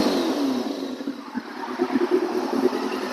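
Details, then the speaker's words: 2000 Yamaha R6 abandoned over 4 years, warmed up during coolant flush, revved to about 10–12k rpm (18,000 redline): smooth high-pitched inline-four wail rising and falling cleanly, no misses, rattles or knocks; normal engine revving. "But yeah, I'll give it a bit of a rev for everyone so you can hear what the old schools sound like. Hopefully it picks it up well."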